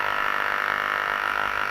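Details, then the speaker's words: Ultrasound recording of electrical equipment: a steady raspy buzz with fine rapid pulsing that never lets up, nearly identical to a previous file but with a slightly different spectrum still showing a 25 Hz harmonic; electrical discharge. "it was almost identical to what i just played you there and it's the same thing only it had a unique uh a unique production of a frequency when we played it that sounds similar doesn't it"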